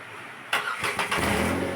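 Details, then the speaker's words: Renault Kwid after removing the silencer and clearing stone-impact damage: engine starts and runs smoothly, no knock since the gap now clears the body; faint puffing from the silencer leak remains. "Start ചെയ്യുമ്പോൾ സൈലൻസറിന്റെ ഈ ലീക്കിന്റെ ഭാഗത്തെ ആ ഒരു sound കേൾക്കുന്നുണ്ട് പക്ഷെ ഇത്രയും gap ഉള്ളതുകൊണ്ട് ഇവിടെ പോയി മുട്ടുന്നില്ല"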